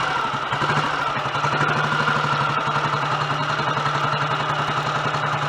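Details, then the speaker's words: Royal Enfield Model G 350 single, just kick-started: even single-cylinder idle about 160 beats a minute, no loose top-end clatter, much quieter mechanically; normal idle. "I can instantly tell that that's a lot quieter mechanically."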